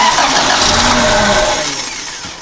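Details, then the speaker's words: 1994 Toyota Celica 1.8 with a no-spark problem and an aftermarket cold air intake: with key on and injectors plugged in, the engine spins over on the starter with a rough, catching note but never fires and fades away; flooded with fuel. "I know my engine's flooded, so if I do, let's do this."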